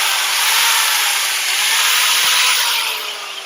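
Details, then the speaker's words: Cheap Powerfist 5-inch angle grinder after repair (had failed sparking; cleaned, brushes nearly worn, not replaced): steady high-pitched whir running evenly then spinning down; motor runs smoothly again. "Awesome. So there you go, fellas. All said and done, this little guy just needed a proper cleaning and some brushes."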